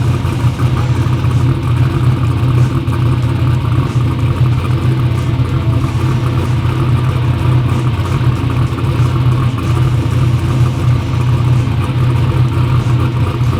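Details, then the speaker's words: "Black Sheep" V8 race car runs a deep, steady, even rumble with no misfire or stumble; runs good after injectors fixed EGT problems, front and rear main seal oil leaks still pending. "Yeah, no, if it stops the oil leak, I mean, we got it to where it runs good. Those injectors fix the EGT problems."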